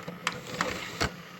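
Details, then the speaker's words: Old PC with ASUS and Maxtor parts, CD drive after slow Windows boot: three short dry clicks as the drive seeks a disc, seeming to work; normal CD drive operation. "alors que le costa rica lecteur cd le g qu'il a l'air de fonctionner"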